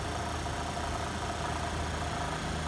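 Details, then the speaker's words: 1955 Westinghouse casement air conditioner, casing removed, nearly 70 years old, compressor test: steady, even low hum with no knocks or rattles; compressor running smoothly and producing cold air. "so when we go ahead and test this I'll shoot a quick little video and see what the compressor sounds like if it powers on at all let's see so here's and snacks that's actually high that's low oh my gosh it's working Wow actually working"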